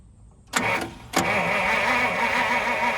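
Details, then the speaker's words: 1950 Pontiac Silver Streak that sat almost 40 years: two bumps of the starter button, then steady cranking with no firing. No spark found; dirt under the distributor points, to be cleaned and gapped. "Alright, no spark."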